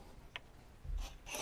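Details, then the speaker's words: Canon 50mm f1.8 EF lens on a Canon R via RF-EF adapter, quiet room: three short rasping buzzes as autofocus hunts, each under a second; noticeably noisy autofocus drive. "how noisy is that sounds like a horse and car"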